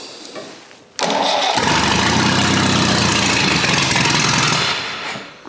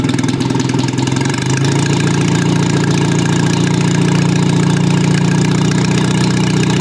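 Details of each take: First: Old Rusty four-cylinder, cold start at about 2°C with choke on, after correcting the firing order to 1-3-4-2 but before adjusting the ignition timing: a quick start into a fast, loud, somewhat uneven chuffing run, rough from the timing not yet set. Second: Old Rusty four-cylinder engine after corrections to firing order, carburettor and ignition timing: starts easily, brief rev then even low idle, smooth steady firing, no ticking or knocking; normal healthy idle.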